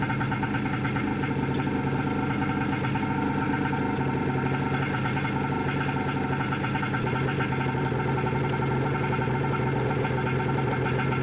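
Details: Wave Raider watercraft two-stroke running on a hot day after adding gas and Seafoam treatment, cooling water flowing despite a suspected blockage: steady, buzzy drone holding even, no stumbles or surging; running properly again.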